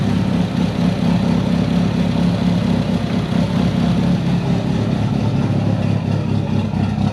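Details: Built Mitsubishi Evo 8 with Kelford 272 cams, after replacing the failed IAC with a 2000-up Eclipse unit and a richer idle tune. A steady, deep idle with a slight rhythmic rise and fall, no misses: normal big-cam lope.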